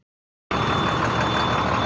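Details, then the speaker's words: Beverage truck after frame cut-and-weld repair, diesel idling while air brake system builds pressure slowly because drain valves were left open; steady high-pitched low air pressure warning buzzer over the idle. "were after air pressure Oh 30 I forgot I had to drain valves open so it's going to take a little while"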